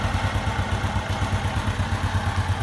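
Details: Honda Wave Alpha single-cylinder with 52mm big-bore piston, after repair of piston slap when hot: even, steady putter at quick idle, no knock or tap; runs healthy and smooth.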